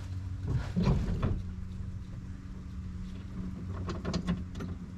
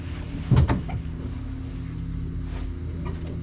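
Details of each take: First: 1974 Plymouth Duster slant six with 904 transmission, sitting since 1987, fuel squirted in: quiet clunks, then the engine catches abruptly into a strong, steady fast idle, firing cleanly, no major leaks; radiator suspected holed, likely no coolant. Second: 1974 Plymouth Duster slant six, 904 transmission, sitting since 1987, gas poured in carb, choke open: a pop or two then low uneven churning that never catches; cranks but won't start, fuel delivery suspected.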